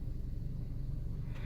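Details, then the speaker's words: 2012 Chevy Sonic 1.8L, 71,800 miles, P0300 random misfire, idles with a low, lumpy, uneven rumble and a hard miss on cylinder 3; spark suspected to be leaking from the coil boots. "hope there was there was a Miss right there on cylinder three that was a hard miss I felt that just let her idle for a little bit yeah my my suspicion is we've got spark leaking out of the boots but we'll see here it is running a little rough"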